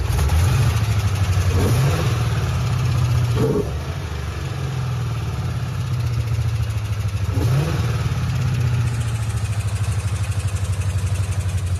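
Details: Ford Mustang GT 3-valve V8 at idle: uneven, lumpy idle with a loping stumble and a periodic missing beat. One cylinder is dead from a destroyed cam and rocker arm, with valve lash problems; possible metal in the oil.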